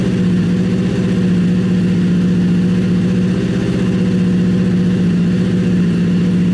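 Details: Honda CBR1000 buggy engine just rebuilt after major cylinder damage, idling freshly reassembled and lightly smoking from WD-40 burning off the headers: a steady, firm, even idle. It idles better than before the rebuild, when it ran rough.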